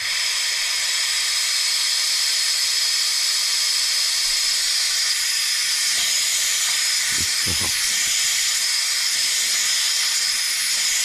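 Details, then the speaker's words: Stuart 10V model steam engine on its first trial run on compressed air at about 18 psi: steady loud hiss of air blowing straight through with no exhaust beats. The slide valve isn't seated, so the engine won't run. "Well, it seems as if our slide valve isn't seated."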